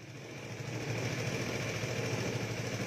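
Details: Vespa scooter after cleaning the carburetor (IC AC 19) fires on the button and settles into a steady, even putter with no misses or knocks; idles cleanly.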